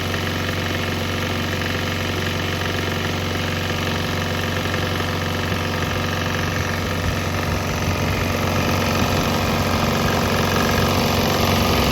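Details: Swan X 165F Chinese single-cylinder diesel running on straight used canola (fryer) oil; steady, even clatter at fixed idle with firm low thump, no misses or stumbles; normal running.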